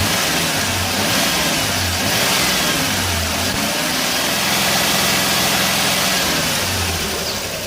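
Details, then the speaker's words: 2001 Dodge Grand Caravan EX, about 329,000 miles, after repairs for a crank-no-start with engine noise; engine started after sitting two days, revved partly warmed; smooth idle and clean pickup with no knocks or rattles, sounds healthy. "I'll rev the engine after the engine warms up some so let me rev the engine for you so you can hear how good she sounds"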